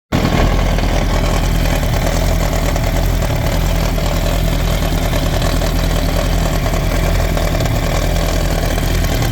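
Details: 2007 Yamaha R1 motorcycle idling steadily with a dense, gritty grinding/rattle over the low exhaust beat; owner can't pinpoint the source.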